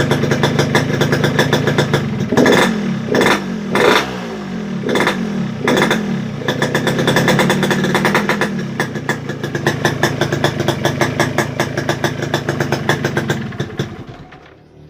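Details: Yamaha RX-King two-stroke, won't idle, heavy at low throttle, running rich: uneven stumbling rasp that surges and sags; all four reed valve petals open and leaking.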